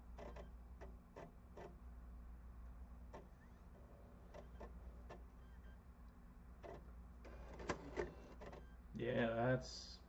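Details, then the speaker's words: Console disc drive hums quietly with irregular ticks and clicks, then handling noise, failing to read a PS4 game disc; suspected blown disc drive or laser, not confirmed. "well so this is just a blown disc drive completely then cuz this is I don't think this is going to be a laser issue"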